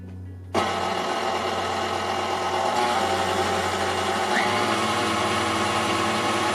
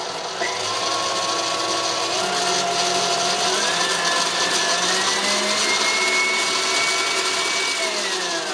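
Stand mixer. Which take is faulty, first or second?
second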